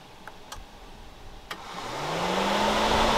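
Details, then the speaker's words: 2012 Honda Odyssey running warm, radiator fans commanded on by scan tool at idle: clicks, then one fan whirs steadily while the other doesn't move at all though it should have kicked on. "Okay, so we have this fan's running okay, but this one's not moving at all, and that should have kicked on as well."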